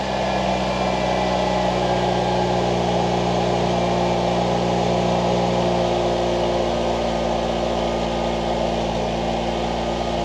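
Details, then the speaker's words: 1989 Ford Mustang Fox 4-cylinder, after injector cleaning/rebuild and a new home-welded, leak-free exhaust, before idle adjustment (was idling extremely high): smooth, even low rumble with steady beat, no ticking, puffing or leak hiss; normal idle. "got all this in and straightened so the exhaust is complete it doesn't leak and it sounds pretty good so I'll go ahead and drop it and do a reveal all right"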